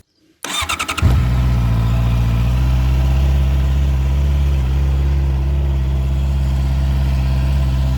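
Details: Heavy motorcycle after exhaust repaired, polished, painted and reinstalled: fires within a second after a few cranks, settles into deep steady even idle; healthy exhaust sound.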